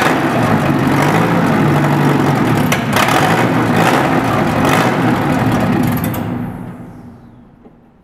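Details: Engine's first start after bearing replacement, crankshaft nitriding, camshaft replacement and cylinder head repairs. It runs smoothly with a steady beat, takes a couple of clean blips, then shuts off evenly. No knock or tapping; the engine is healthy.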